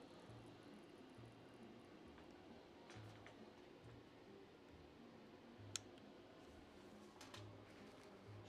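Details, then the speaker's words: Electronic typewriter with large supply transformer with filter caps, fuses tested good: faint low buzz pulsing over a quiet room, the transformer humming unhappily on power-up. "I hear noise from the transformer."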